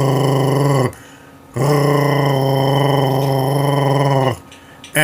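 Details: Flushometer urinal and toilet, each flush giving a loud, low, droning growl that stops abruptly, then repeats. Flush valve water hammer that persisted after replacing the diaphragm kit, flush valve and vacuum breaker.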